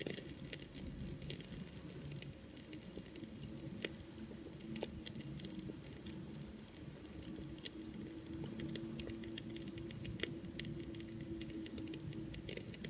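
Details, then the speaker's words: 1967 Elka Panther 100 germanium transistor organ with loud hum and silent keys, powered up: faint irregular crackles and ticks over a quiet low hum; suspected leaking electrolytic capacitor bubbling in the power amplifier section, unconfirmed; crackling noise. "something is cooking inside so one of the capacitors is leaking out extra electrolytic fluid i can i can hear it bubbling but i cannot see it"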